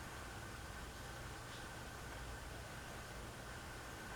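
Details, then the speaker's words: Hunter Reverse Aire Original ceiling fan on low speed after being oiled: it starts slowly, then holds a steady, even hum with a soft airy rush and no ticking, scraping or wobble; runs smoothly. "starts up starts up really slow but then actually just i just needed some oil"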